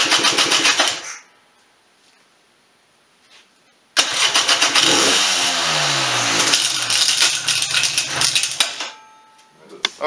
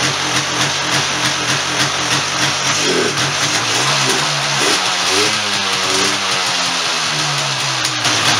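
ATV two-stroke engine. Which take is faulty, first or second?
first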